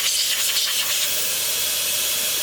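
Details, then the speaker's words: Forged SR20 turbo engine in an S14 drift car, boost leak test with a PVC cap in the intake hose and the engine off: loud, steady hiss of pressurized air escaping, revealing major boost leaks at the intercooler hoses and clamps. "as you can tell I've got some pretty major Bruce leaks happening which I probably wouldn't have been able to know about"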